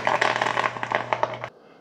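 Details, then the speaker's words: Mr. Coffee 5-cup Mini Brew Switch coffee maker (BVMC-SC05BL2-1) near the end of a roughly 5-minute brew, grounds fully saturated, getting a little louder: busy crackling and gurgling bursts over a low hum that cut off abruptly, normal brewing. "The coffee grounds are fully saturated. So towards the end, it gets a little bit louder."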